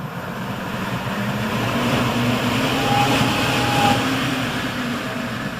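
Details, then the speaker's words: Rosenberg USA EC fan with an enable switch and potentiometer speed control, varied from off and very slow up to 100%; soft, even rush of air with a faint motor hum shifting pitch as speed changes, running smoothly and normally. "And with this potentiometer control, we can turn the fan all the way off and run it really slow, or ramp it all the way up to 100% if we wish."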